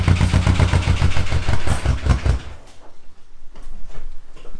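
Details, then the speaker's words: VW GTI engine due for R32 3.2 swap, also misfiring; rough loud running with heavy uneven low thumping for two seconds before settling; knocking badly, cause unknown, owners suspect a stuck lifter or valve and possibly a bearing. "you might think to yourself that sounds awesome it sounds like a major camp but no it's also knocking horribly bad and we don't know why"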